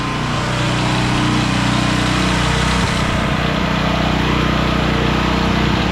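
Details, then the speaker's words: Centurion 3250 W generator that had sat with old fuel, once it smoothed out after starting on choke: a steady, even drone at constant speed without surging; running smoothly. "give it a minute to see if it Smooths out I might not have given that bow time to fill it's smooth now"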